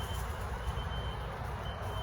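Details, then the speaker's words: Thin piercing high beep over traffic rumble, fading and returning, in an apartment complex stairwell, quieter downstairs, sounding since 4 a.m.; fire alarms disabled by fire department, not a car, source unknown. "I can't figure it out. It's just ear piercing. And it's kept me up since 4 o'clock this morning. And I cannot get away from it."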